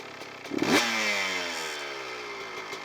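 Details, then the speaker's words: CR125 two-stroke with the carburettor air screw turned out to about three and a half turns: a sharp throttle blip, then revs fall slowly and hang high before settling, with a thin, zingy throttle response; idle mixture too lean. "et donc là, je suis à propos de trois et un la moitié se termine et comme vous l'avez entendu il faut un moment pour l'idole de redescendre à normal et la réponse de l'accélérateur est comme super zingy"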